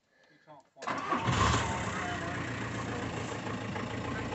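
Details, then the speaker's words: After diagnostics found a bad airflow sensor connection: brief crank, catches straight away and settles into a steady, even idle. Problem solved. "look at that it started straight up that's the problem solved"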